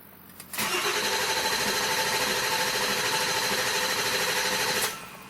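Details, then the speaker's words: 6.7L Powerstroke OEM starter fitted to a 7.3L Powerstroke, tuner pulled so the engine only spins without starting: about four seconds of brisk, even cranking at roughly three turns a second. A strong, healthy starter. "I pulled out my dp-tuner so it won't start it'll just spin over so let's see how it sounds"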